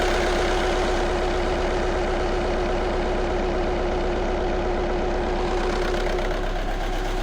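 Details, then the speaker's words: Audi A1 diesel heard from under the bonnet, with the engine management light on and glow plug light flashing: lumpy idle with a regular stumble every few firings. The rough running is confirmed. "we've definitely confirmed the fault and that we've got a rough running complaint."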